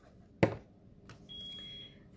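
One short sharp chirp, then a faint brief tone in a quiet room; a smoke alarm chirping on and off, cause unknown.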